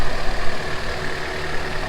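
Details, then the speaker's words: Honda CRX (ED8) after throttle body swap, warming up, no codes, RPM steady: even low rumble with no hunting, misses or knocks; normal smooth idle, though a leaking coolant hose still needs fixing. "Just gonna let it warm up a little more. I got that the other day. That's gonna need fixing. But overall, it's idling really smooth right now."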